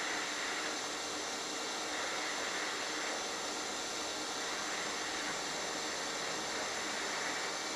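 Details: HitBox 200A dual-voltage 110/220 TIG/stick welder set at 70 amps, sharp tungsten: smooth, even hiss with a faint steady high tone, no crackle or popping; stable, consistent TIG arc.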